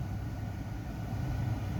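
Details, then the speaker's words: 2011 Jeep Grand Cherokee WK2 idling evenly with no ticking or stumbling after codes cleared and missing ground straps replaced, curing the no-crank and P0622 overcharging faults. "Let's give it a start. And she runs."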